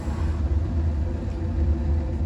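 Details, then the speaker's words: Gas furnace after the burner and gas valve were shifted about 1/4 inch to cure failure to reignite, running its heat cycle: a steady, even low roar with no knocks, surges or rattles. Normal operation. "So hopefully you can hear that. It just fired up. So we'll go ahead and let it run through a cycle, make sure that it heats up, and then once it reaches temperature, it'll shut off, and then we'll allow it to get cold, and hopefully it'll reignite."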